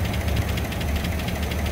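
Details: 2004 Chevy Silverado 5.3 V8, 225,000 miles, towed in after dying while driving, no oil pressure from low oil: idle with fast even valvetrain tapping over the rumble, oil starvation; engine likely done for.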